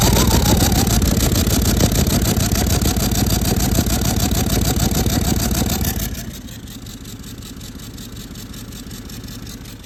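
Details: Toyota 200 series Land Cruiser with a 1VD diesel, oil changed every 5000 km with full synthetic: a wavering siren-like howl over the diesel clatter, dropping after about six seconds, with smoke from the exhaust. The turbocharger had failed.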